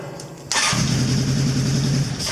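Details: 1983 Honda CB1000 C Custom with intermittent no-start, lights and power present; owner suspects the battery though it was charged: silence, then the engine suddenly catches into a lumpy steady idle.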